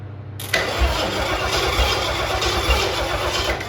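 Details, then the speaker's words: Junkyard 351 Cleveland two-barrel in 1974 Ford Ranchero, not run since 1993, primed with gas/diesel mix, hot-wired coil and solenoid; turns over, catches briefly on primed fuel, then labours; carburettor starved of fuel. "oh you can't keep enough gas it ain't got no gas in it really uh-huh all right the key is I gotta get this gas up there"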